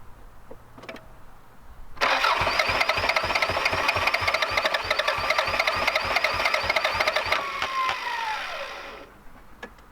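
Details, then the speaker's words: Vehicle with half-full tank of fuel from 2015, cranked after spraying something in the intake: steady cranking about three turns a second for seven seconds, never fires; close but won't catch, owner suspects bad fuel, fuel pump not heard. "she's close doesn't quite want to fire off though"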